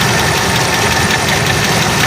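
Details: Tamaraw after replacing a faulty ignition coil that caused hard starting and no-start: loud, steady engine running evenly with no misses or stumbles; healthy.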